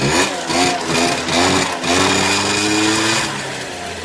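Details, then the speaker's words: Peugeot Speedfight two-stroke scooter that wouldn't start (wrong stator coil fitted, fuel filter work), cold workshop: electric start fails, kick start catches at once with smoke, buzzy note rising then easing to an even idle; runs fine. "Well, that's kick start. That's not bad at all, is it?"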